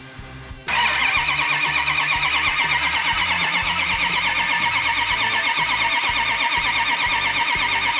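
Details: Classic numbers-matching 426 Hemi before first start, priming oil pressure and fuel: starter spins engine at steady, even rhythm without firing, normal cranking with nothing odd.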